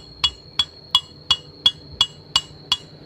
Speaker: Mio M3 sering bersuara kasar itu berasal dari blok karena tingkat kehausan pada blok dan piston sudah sangat haus seperti ini